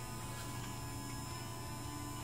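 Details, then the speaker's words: Marantec garage door opener that would not close from the remote or wall button because the safety sensors were misaligned. After realigning them, the remote works and the motor runs with a low, steady drone, no grinding or clicking; normal. "hey the remote works we can hear the machine running"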